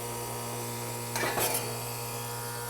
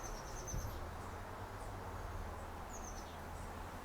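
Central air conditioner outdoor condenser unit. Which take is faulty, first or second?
first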